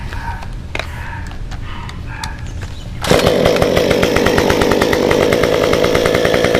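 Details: Stihl 193T climbing saw with muffler mod, ~8–9° timing advance, 93 non-E fuel, 16-inch bar, PS3 .050 full-chisel chain, cutting a log: idles, then opens to a strong steady high scream biting into wood; normal running under load.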